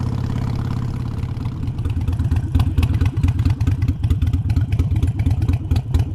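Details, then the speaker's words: Modern EFI Harley-Davidson V-twin with idle lowered about 100 rpm using a Fuelpak FP3 tuner: a low, even loping idle with no knocks or misses. It idles smoothly with no adverse effects, like a factory bike. "i've had no adverse effects it idles smoothly the throttle response is right there it's great it's just like a factory bike"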